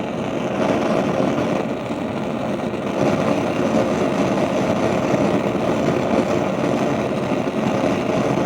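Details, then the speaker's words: Gas stove burner while cooking: continuous loud whooshing roar with mid-pitched rush and slight surging, louder than a normal flame; owner suspects neighbors below causing it, unconfirmed. "that's how the flames sound but you know that on the stove the flames don't sound like that"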